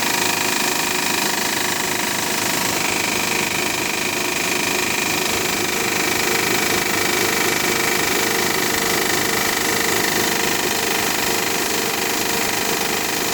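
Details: Honda Pilot just after a cold start: a fast, even rattle over a high ticking clatter that lasts about 10 minutes and does not happen every time, then it runs perfectly all day. Cause unknown.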